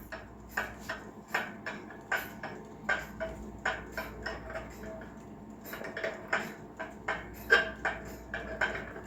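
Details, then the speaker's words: Dutch WUBA/Warmink 8-day Sallander wall clock, circa 1960s/70s, on a stand during repair with chain and weight fitted: crisp, even tick-tock at about 78 per minute once entry and exit pallets sit equidistant from the teeth; clock in beat. "You have to push it just right to get the um Burge entry and escapement pallets to be the same distance from the teeth. So you could hear the even tick tock."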